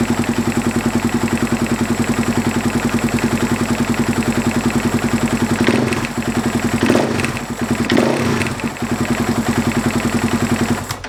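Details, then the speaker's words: Husaberg FX450 single-cylinder, started cold, at low-rpm idle: rapid metallic clatter that rises in frequency with throttle blips, timing chain knocking because the stock hydraulic tensioner loses pressure; fixed with an aftermarket tensioner. "I hope you could hear it it's like something is hitting the there's this metal sound like when I go on a gas it gets you know a higher frequency"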